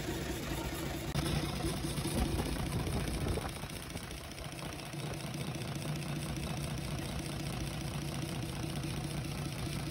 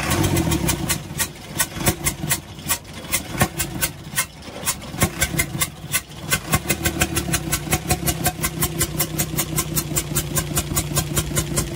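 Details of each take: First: UD Nissan PKD 411 truck, six-cylinder NE6 diesel, started after work on the intake chuk-chuk noise, tappet cover off to check oil flow: low, steady, knock-free idle clatter; engine running normally. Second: UD Nissan PKD 411 truck, NE6 six-cylinder diesel idling: a sharp, even chuff about four times a second from the intake side. Rockers were checked and working; a leaking intake valve was found and the valves replaced.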